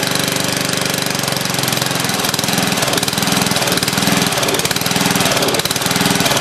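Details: Old Lawn Chief riding mower, reportedly used last year, started on a dribble of gas with a temporarily connected battery: its loud single-cylinder engine runs, but the firing rhythm wavers and stumbles. It runs rough; owner feels it needs fresh gas and a tune-up.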